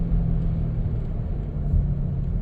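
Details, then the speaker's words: 1997 Dodge Caravan LE, worn front right wheel bearing (suspected). A low, steady rumbling hum is heard while coasting and slowing down, and it can be felt in the brake. The noise goes away when the bearing is unloaded in a left turn. Wheel bearing hum. "now if you listen here when I slow down you can really hear it and I can feel that in the brake"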